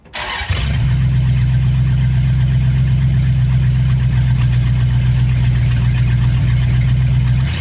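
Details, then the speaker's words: 1977 Dodge D100 after small-block V8 swap replacing the slant six, BBD carburetor, fed from a jerry can; quick crank, fires at once and holds a deep even V8 idle with no misses or knocks; normal start and idle. "I think that'll do at least for a little while till I get maybe something that's pumped up a little bit more. That sounds good."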